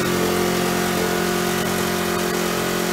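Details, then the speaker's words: Aquapod small single-cylinder petrol flush pump engine, choke opened, throttle at medium speed during 10-minute filter rinse: steady even firing, constant pitch, no knocks or surging; normal running. "okay we're now operating the petrol pump and as you can see we've got flush water coming out of our flush we're running at medium speed and we're gonna do this rinse for 10 minutes"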